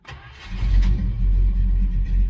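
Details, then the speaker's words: 1966 Dodge Charger with an aluminum-headed 383 and a freshly tuned Holley 4150 double-pumper, warm. It fires almost instantly with no throttle touch into a steady, deep idle of about 800 rpm after earlier fouled-plug misfiring; a normal hot restart. "it really don't matter if it's in gear or not pretty much fire right back up that was a no touch"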